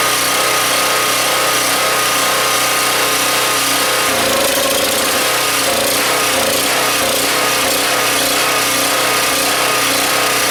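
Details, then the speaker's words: Husky 1850W generator (about 5 hp), Mikuni T3044 carburetor cleaned about three times and air hole made smaller with a 6-32 screw; loud engine note drops and wavers midway, still surging, suspected blocked idle passage that cannot be reached. "okay guys so I try maybe 10 times to clean the carburetor but still the engine is surging and I had no success of cleaning this thing"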